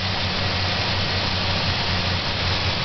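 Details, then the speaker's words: 1997 Ford Ranger idling with uneven, lumpy putting at the exhaust, which rocks back and forth; hard starting, backfire, runs as if choked; owner unsure if air, fuel or spark, suspects misfire. "my truck's not running properly got some backfire or something trying to start it up come on to the back here kind of putting here better from under here exhaust is kind of rocking back and forth and it's kind of putting and putting r a little bit kind"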